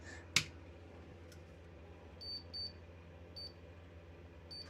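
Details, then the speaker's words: Desktop PC power supply on a tester, GPU power connected; sharp click then short high beeps signal all readings fine: normal power supply test. "But everything else is everything else is fine. So power supply power good."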